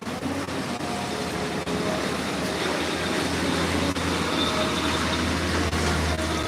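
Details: Honda Beat fuel-injected scooter: runs fairly steadily but stumbles with irregular dips about once a second; sputtering traced to a faulty fuel pump.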